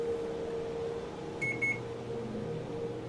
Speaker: on another hum off and on again another hum and then the fourth time it actually begrudgingly got going